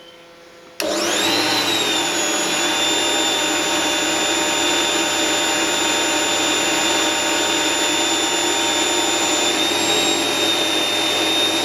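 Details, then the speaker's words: Motor of a homemade mini lathe at about 1160 rpm after adding dimpled foam sound insulation: loud, steady whirr with a high thin whine; still reads 80 decibels, no quieter, but sounds mechanically sound. "What would you say if I said that's absolutely no different? It's still 80 decibels."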